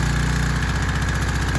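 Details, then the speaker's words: Troy Bilt 2700 psi pressure washer after carburetor cleaning, started without water before hookup, after a no-start: small single-cylinder engine holding a steady, even putter with no misses or surging; normal running. "so i went ahead and started it without water it turned right over so i went over here got water hooked up"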